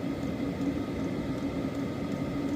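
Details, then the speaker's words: 2025 Hcalory diesel heater running at its maximum setting, 6, on a 15°F day: a soft, steady hum with a faint even hiss and only a barely audible fuel pump tick; running normally and very quietly. "you hear it it's it's it's insanely quiet"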